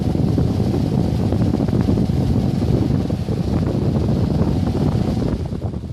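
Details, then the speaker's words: Pedestal fan after repair with new blade on a drive pin: constant, smooth, even rush of air with no clicking, scraping or wobble; the fan runs properly. "Okay, that definitely works."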